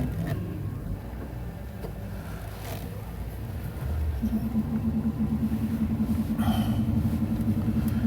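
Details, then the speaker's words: Car on a test drive with ABS codes C1222 and C1236 and left rear wheel speed signal dropping out; steady pulsing buzz as ABS engages on an ordinary stop, traced to damaged rear tone rings, both replaced. "This thing's actually going into an ABS stop now as I'm hitting the brakes."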